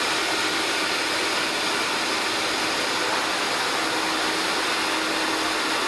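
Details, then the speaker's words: New Record Power CGV 386 (CamVac) cyclone dust extractor running while two hoses are attached to its air outlets to cut noise. Loud, steady airy rush with no rattles, pulsing or bearing noise; attaching both hoses reduces noise significantly. Fan runs smoothly. "Attaching both hoses reduces the noise level significantly."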